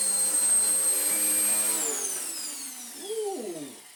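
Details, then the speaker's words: Vax Power U84 vacuum after its off-centre belt problem, with the brush roll reassembled and a new belt fitted. Steady, even high motor whine that falls smoothly in pitch at switch-off; belt fix seems to work, normal running. "So far, so okay. Whoa. I think just removing it and putting it back together has solved it, although, our lovely clean and tidy bin is no longer so lovely and clean and tidy, and our filter is also a bit more dirtier now."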